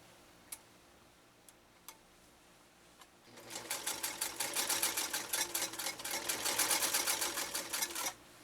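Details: Restored Singer 192K Spartan (0.80 amp motor) with a Schmetz size 90 universal needle, sewing a single layer of genuine leather effortlessly: fast, even ticking stitches at a steady pace, no grinding, binding or knocking; normal running.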